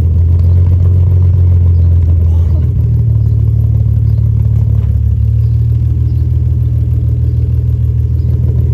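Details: Ford 4.0L engine swapped into a Mercedes W203 C200 with custom 3-inch centre exhaust, second start: loud deep steady drone climbing in pitch with throttle, smooth and even without ticks or knocks; engine runs healthy.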